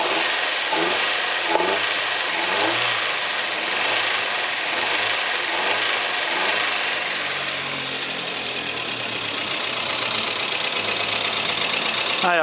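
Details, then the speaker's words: Chevrolet Corsa 2000 engine on first start after timing and injection harness work; harsh high-pitched squeal and chirps easing slightly as it runs, starter battery recharging; source not yet pinned down. "primeiro momento ele ficou um barulho e puxa depois ele vai carregando até assumir o barulho completamente"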